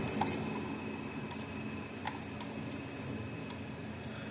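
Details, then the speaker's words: Gallagher M800 fence energizer (old orange case) after repair, tester showing about seven thousand volts: sharp, crisp ticks about every second over a quiet room; pulsing normally. "let me put a tester on here should be you know six thousand to seven thousand volts or higher"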